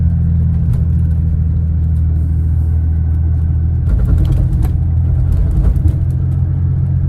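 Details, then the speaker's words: 1979 Porsche 930 with new fuel pump relays, warming up: deep steady even rumble with brief smooth rev, no hesitation; previously rumbly and hesitant cold, now responds immediately. "so it takes some time for the engine to warm up so not really going to rev it until uh until the engine's warm but uh yeah I can say definitely engine just sounds a lot happier"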